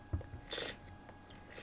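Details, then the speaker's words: Milwaukee FSPE-110-QX jigsaw during reassembly after replacing the damaged gear and greasing it, turned by hand. Two short, high-pitched chirps about a third of a second each; owner suspects the worn gears meshing, not confirmed. Squeak on manual rotation. "That might be those worn gears meshing, so maybe a bit of a squeal when we start this, but just doing a manual rotation to see whether there's any problems, but look, it seems okay."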